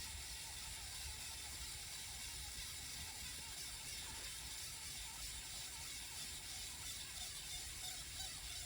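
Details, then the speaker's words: 5.25" floppy drive under repair, tested with GreaseWeazle: rough uneven ratcheting rasp over steady hiss as the head steps forward repeatedly while reads keep failing; cause unconfirmed. "Doesn't sound good though. It is stepping forward though."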